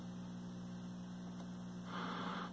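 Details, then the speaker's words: 1973 Admiral SK2247 12-inch hybrid color TV, first power-up on dim bulb tester; loud constant low buzz-hum from the speaker; mains hum, possibly dried-out filter capacitor. "a lot of hum coming from that speaker"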